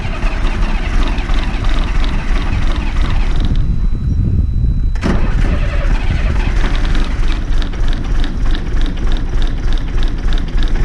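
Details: Old bus diesel starting after a fuel pipe was moved the previous week: fires and settles into a loud, steady clatter with no misses or knocks. Normal idle.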